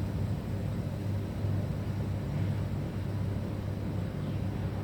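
A steady, deep droning hum with a buzzy low throb runs throughout; the unit is vibrating abnormally, but the cause is unclear.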